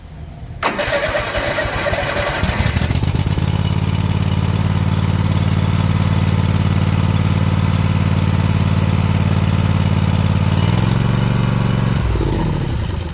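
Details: Toro zero-turn mower that only clicked despite new solenoid; locked-up starter freed, new air filter: starter cranks briefly, engine catches about three seconds in, steady even low idle, clean shutdown; normal start and idle, starter going bad, replacement advised.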